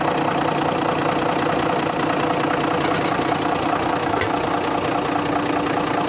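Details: TCM Grablift forklift with 6-cylinder 6BB1 diesel, after fixing no-start by sanding the neutral switch contacts: settles into a steady, even idle, smooth rumble with no misses or knocks. Normal idle.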